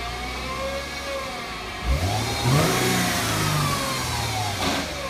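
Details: 2008 Mercedes-Benz C300 V6, stock exhaust, cold start and revving: a thin whine climbs and falls with revs above the engine noise from a failing alternator; a replacement alternator cured the noise.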